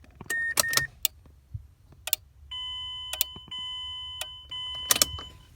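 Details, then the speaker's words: Mazdaspeed6 with crank-no-start and stalling while driving: sharp dry clicks at key-on, with a faint chime, from the loosely hanging AWD differential control module under the dash; owner is unsure whether it is related. "which that module is clicking like I've pointed that out to a few people but it's when you turn the key on it's actually clicking it's the module"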